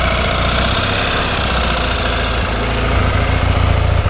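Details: 1974 Triumph Bonneville T140V twin motorcycle, kick-started with lights and fuel on: lumpy, steady twin beat at idle with an even exhaust pulse and no knocks or rattles; normal healthy idle.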